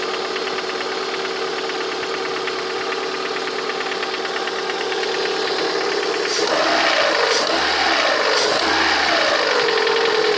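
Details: Lada 21126 engine idling with a fast, fairly even ticking knock that grows louder as revs rise, heard most clearly near the end of the recording; the owner asks what the sound is, source unknown.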